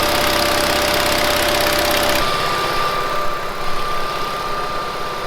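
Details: 1970s Bolens QT16 tractor, long-sitting, started with gravity-fed fuel to carburetor: single-cylinder engine runs steadily at a fast even beat with a bit of roughness in the middle; keeps running on its own.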